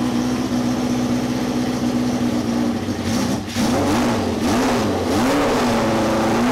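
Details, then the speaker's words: Cafe scrambler project bike running for the first time in 21 years after a carb rebuild and rewiring, silencer insert removed: loud, raw exhaust bark climbing and falling with throttle blips. "so silencer type muffler type thing is removed"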